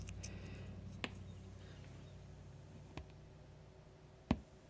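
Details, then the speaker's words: TDA7267 chip amplifier board with capacitor-coupled output; quiet hum with a soft click at power-on and a duller thump at power-off, transients inherent to the circuit design: amplifier power-on click and power-off thump. "here it makes a click when I power it up and kind of a thump when I power it down it's not really loud there not much you can do about it because it's just the way the circuit's designed"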